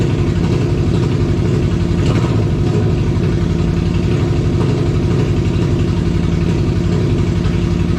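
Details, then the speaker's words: 2002 Yamaha Venture Midnight Edition touring motorcycle, fully reassembled after fuel pump, fuel filter, battery and clutch bleed work, restarted after battery went dead from key left on: smooth, even low idle with steady beat, no misses, knocks or leaks; healthy. "but the motorcycle is done you guys all heard it running and uh it's fun it's good it just sounds so awesome no leaks"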